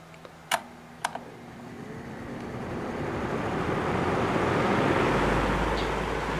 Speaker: That's a pretty impressive startup sound for a modern fan.